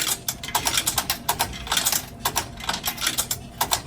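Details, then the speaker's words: Brand-new vending machine accepting coins one at a time: rapid bursts of loud, sharp metallic clicks and rattles as each coin drops through; normal coin mechanism. "I actually had to put every single coin one by one but it was actually very embarrassing because every single time I put a coin into the machine the machine makes a very loud noise and it sounds like this"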